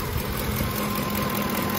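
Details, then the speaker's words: 2007 Ford F-150 5.4L 3-valve V8 with cylinder 2 and 4 misfires, at idle: slight unevenness but no hissing anywhere. No vacuum leak or cracked intake, later confirmed by smoke test. "no hissing at all no problems at all no vacuum leaks just by listening to it"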